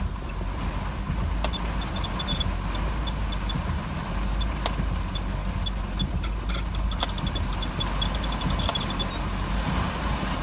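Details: 1985 Mercedes 190E petrol engine idling, clips cold after sitting overnight and then hot: uneven, wavering low rumble with scattered sharp ticks; rough idle.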